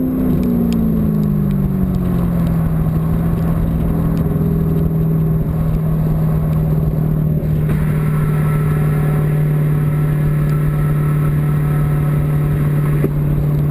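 Engine revs then settles to a steady drone with a slightly uneven, choppy pulse underneath, consistent with a misfire of unknown cause.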